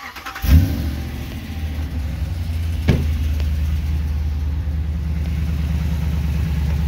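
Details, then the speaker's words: Daily-driver truck with an automatic transmission, at start-up: cranks, catches and settles into an even idle with a light rhythmic chirp, loudest underneath between the transmission and engine. The owner suspects a cracked flex plate. "it sounds like the motors throughout the whole engine bay but if you climb underneath the truck between the transmission and the motor you can really hear it"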